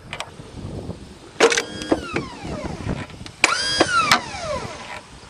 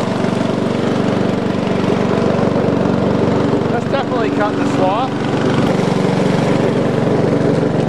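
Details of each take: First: Old lawn tractor started after many years in storage: two short bursts of high electric whine spin up and wind down with no engine turnover. The starter drive gear is not engaging the flywheel, and the owner suspects a seized Bendix drive. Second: About 20-year-old lawn tractor revived after 9–10 years sitting, driving with mower deck engaged: steady unbroken engine drone holding speed while cutting, no surging, knocking or bogging; running normally under load.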